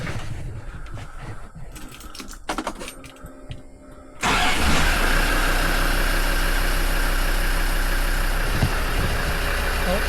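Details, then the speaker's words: Land Rover TD5 diesel, 110,000 miles, first start after turbo cartridge (centre housing) replacement due to oil in intercooler pipes; brief crank, then an even steady idle with no knocks or turbo whine, oil pressure light out; successful start. "oil pressure's gone out. It's not making any horrible noises. So I would say that was a success."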